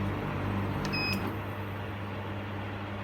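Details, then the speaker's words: Portable air conditioner that switched on when a Milwaukee battery charger was plugged in, after pressing power so the LCD came on: steady low hum with even fan whoosh, no rattles or cycling; normal cooling with compressor running. "yeah it's cooling now the compressor turn on as well"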